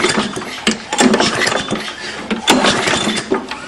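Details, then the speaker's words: 6 hp Briggs & Stratton engine on a Murray lawnmower with poor compression, muffler removed. Slow pull-cord pulls give sharp, hollow chuffs from the open exhaust port as the exhaust releases, indicating a burnt exhaust valve to be fixed with a valve job. "you can hear that well that tells you you got a burn exhaust valve so I'm going to show you now how to fix it"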